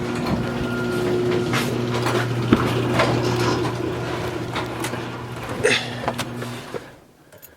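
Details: 2002 Chevy Avalanche 1500 5.3L after alternator, belt and idler pulley replacement: engine catches and settles into a steady, even idle with a constant low hum, no knocks, squeals or belt chirp.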